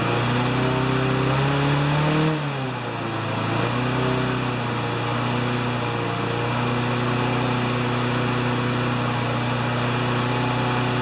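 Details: Honda GCV160 mower that ran either flat out near 6,000 rpm or at 2,000 rpm, after bending the governor arm: a brief pitch dip, then a firm, steady hum at about 3,590–3,610 rpm by tach, though the uploader thinks max should be 3,100–3,200.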